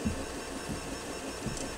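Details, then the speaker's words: Tevo Tornado 3D printer after fitting flex-printed vibration dampers, printing a part with lots of movement: soft low stepper whirring with faint friction at the print head and slightly more Z noise, computer fans louder than the printer; normal quiet printing. "je peux aussi vous l'entendez travailler mais elle est très silencieuse qu'on entend le plus c'est les ventilateurs de l'ordinateur pas tellement les mouvements des préventes"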